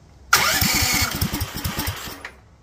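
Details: Duromax 18hp engine with a persistent idle problem. After an idle-screw adjustment, with a little choke and possibly not yet warmed up, it catches and fires unevenly for about two seconds, then sputters out and dies instead of idling: stalls after starting.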